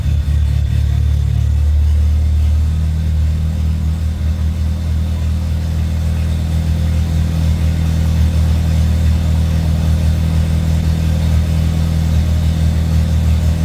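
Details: Handmade helicopter engine after a new injector and a welded-in oxygen sensor were fitted: catches and settles into a smooth, even low idle with no misses, knocks or ticks; runs healthy.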